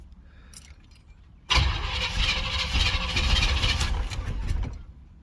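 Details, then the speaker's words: 305 H.O. small-block Chevy, first cold start of the day at 61°F, choke fully open, after one pedal pump: starter grinds about three seconds, the engine sputters and half-catches, then dies. Hard starting, won't stay running. "started up after one pump but didn't stay started try it again one pump ready one [Music] start again"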